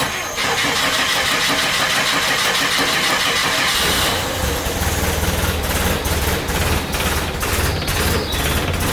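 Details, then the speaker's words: International Scout, carbureted and started on choke in neutral after new plugs, wires and a fixed coil wire that had caused a miss. It cranks briefly, catches cleanly and settles to a steady, even idle with no miss. The engine now runs normally. "we fixed that and so it sounds like it's supposed to now so you all get to hear it"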